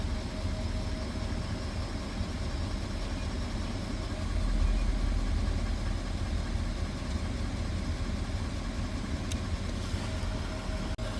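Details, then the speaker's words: Ford 6.7 L Power Stroke diesel truck with BD Diesel high idle kit installed, parking brake set: low steady base idle about 600 rpm, even with no knocks or surging; healthy. "very very easy to do start it right now it's about 600 RPMs make sure your parking brake set vehicle's running"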